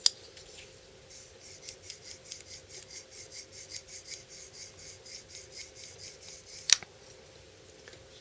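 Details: New BL06 folding knife, stiff out of the box: fast, even scratchy rasps with each rapid flick during break-in of the dry, gritty pivot and detent; next steps are oiling and adjusting pivot tension with a T9 Torx.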